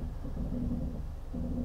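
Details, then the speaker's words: Genesis GV70 SUV creeping forward at slow speed in traffic: a low, hollow groan swells as the brake eases off, like a "sinking ship". The brakes are noisy at low speed. "the brakes are quite noisy when you're just creeping along at slow speeds have a listen to this"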